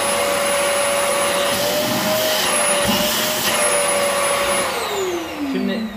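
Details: Rowenta Compact Power Cyclonic vacuum cleaner after repair of a whistle, which was thought to come from the motor having shifted: even roar with a steady motor hum and no whistle, then the pitch sags as it winds down; running normally.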